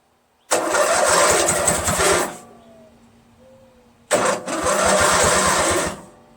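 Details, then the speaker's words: Craftsman LT1000 lawn tractor, freshly rebuilt Briggs 46 opposed-twin engine, heat shield installed: two tries, each catching and running roughly under two seconds before cutting out, with excessive fuel coming out. Spark is present; owner suspects a dirty carburetor, cause unconfirmed. "We know it starts and it runs slowly for a bit, and then you hear a pop and then it just stops."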